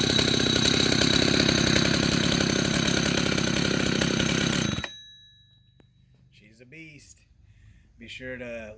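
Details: 1974 Husqvarna L65 vintage two-stroke chainsaw after cleanup and repairs: loud raspy bark running steady and strong for several seconds before shutting off; sounds healthy.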